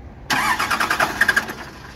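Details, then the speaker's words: Cummins 12-valve diesel swap, first start after stuck-rack P7100 pump repair, no coolant, no key, fuel plate not fitted: quick cranking chuffs, then it catches and runs. Diesel engine starting. "it's trying we have a running twelve vowel listen to that now we don't have any coolant in it just basically wanted to hear it start"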